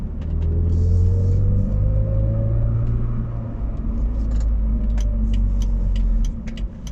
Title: BMW Z4 rear end humming noise at low speed acceleration /hátsó zaj alacsony sebességű gyorsításnál